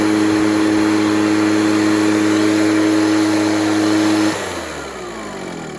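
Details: Echo PB413H two-stroke backpack blower on a new aftermarket Chinese carburetor with an NGK plug: steady high scream at full throttle, dropping away cleanly on release; normal full throttle.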